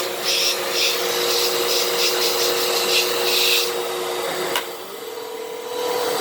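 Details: 12 Amp Fantom Fury upright vacuum, made October 2000, after repair, on carpet: strong, even motor whine with some bristle swish, no choking or surging; normal healthy running.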